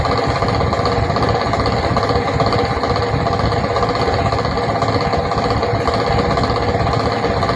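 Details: 24V DC fan in a train coach makes a strange noise every 5 minutes: fast, uneven rattle of about 107 per minute over the fan hum, suggesting a loose or struggling motor; low voltage or motor fault suspected, unconfirmed.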